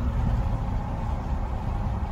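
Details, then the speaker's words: 2010 Silverado 2500, 6.0L V8, began misfiring while towing a camper; scan tool read about 8,300 rpm. Deep lumpy idle with uneven thumps, traced to chafed wiring feeding a coil bank: misfire from damaged coil wiring. "this is running terrible desired idle speed something is incorrect bad stuff is happening right now"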